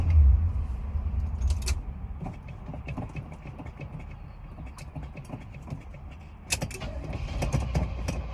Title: Cranking and hard starting again